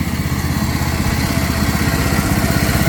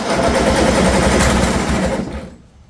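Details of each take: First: 2007 John Deere Z225 zero-turn mower after carburetor and head gasket repair, burning off residual oil from the muffler: the single-cylinder engine runs steadily at about four beats a second with a firm, even exhaust note. It ran fine and the smoke cleared. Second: 2007 John Deere Z225 zero-turn mower, after a new Champion spark plug: fast buzzy cranking with a raspy scrape from something rubbing, and no start. The owner reported oil spitting out; valve issues or a blown head gasket are suspected.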